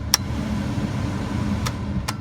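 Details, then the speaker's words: Car blower fan after replacing blower motor resistor whose tabs were broken, engine on, testing each speed: steady even air rush with no squeal or rattle; all fan settings working again. "So they're all working again, so that is a problem."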